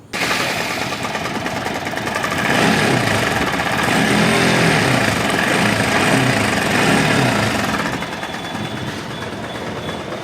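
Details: Bajaj Pulsar NS200 engine running with a loud, fast, steady metallic clatter throughout; worn, slack timing chain, before timing chain replacement.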